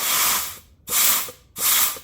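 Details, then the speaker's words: 4L60E transmission rebuild for LS swap into 1993 Ford Ranger, upgraded 3/4 clutches, low-pressure air gun test: three short air hiss bursts with faint piston click, silence between; clutch pack applies and holds without leaks. "Each one of these is a clutch pack. You can hear, I don't know if you can hear it or even, but we do not have any leaking air coming from those."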